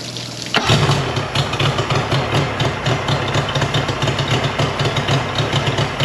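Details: Mercury 50hp 3-cylinder two-stroke outboard after a new switch box restored spark and service: catches and settles into an even, brisk two-stroke pulse with no misses. Normal running.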